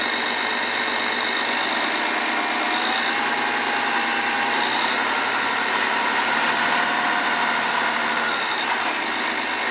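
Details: 2008 BMW E60 530i N53 at idle: busy, light metallic clatter from the rear of the engine; garage under warranty blamed high-pressure injectors, owner not convinced; source unconfirmed.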